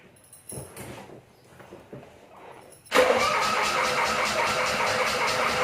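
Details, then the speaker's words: 1985 Suzuki Mighty Boy after 50 days sitting, freshly charged battery: a few seconds of faint, uneven cranking before it catches and settles into a loud, steady fast idle; extended cranking before start. "you get to hear the engine turning over turning over turning over turning over turning over turning over maybe turning over a bit more and then starting"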